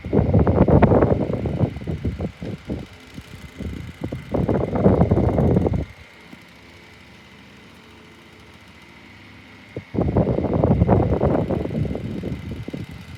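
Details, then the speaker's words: 2002 Woolworths 9-inch desk fan with oscillation engaged: loud, uneven rattling clatter comes in bursts of a few seconds, then goes quiet; it sounds horrible but still runs. Noisy fan while oscillating. "this thing does sound horrible but at least at least it's still going"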